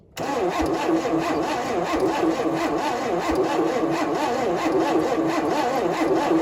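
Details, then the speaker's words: 1971 Chevy Nova being revived after sitting, fuel poured down the carburetor: starter cranks the engine at an even rhythm but it never catches or pops; crank no start with no spark, points to be checked. "Okay, so we have no spark. So, I'm going to pull the cap off. See how the points look."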